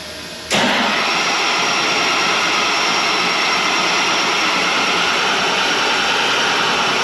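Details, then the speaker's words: Tractor 8320 diesel with a freshly rebuilt engine: a harsh, steady crackling hiss with no engine rhythm during start attempts, also heard with the key off; it stopped when the rubber boot was pulled from the injection pump plug. "all right so it got close that time that if you heard that crackling noise that's the noise we were having that we were hearing uh earlier here"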